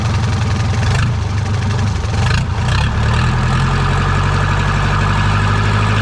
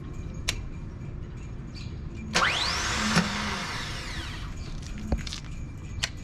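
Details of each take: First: Second-hand diesel boat inboard engine after fixing swapped cables: steady, even idle with smooth low thrum and no misses or knocks; normal idle, alternator possibly damaged. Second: Boat engine starting attempt after smoke and a possibly damaged alternator: scattered clicks, then a short whirring spin that rises and fades with no cranking; the starter motor spins but does not engage the flywheel.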